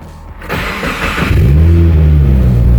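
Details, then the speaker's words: 2015 Subaru WRX after fuel pump and filter replacement for fuel pump relay trouble, with a fresh battery: short crank, then catches and settles into a steady low rumble; normal start. "Oh! Oh, she started! Oh my God! Oh my God! Oh my God! Oh, she started."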